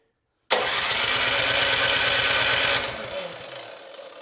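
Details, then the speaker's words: Cub Cadet 2X 26-inch snow thrower, model 31AM5CVS756, engine 675-WUB, primed three times at about 3/4 throttle, choke off: steady cranking pulses about three a second, never fires; carburetor bowl to be drained. "Okay, at this point it's not starting, so the next step you would want to is drain the carburetor bowl."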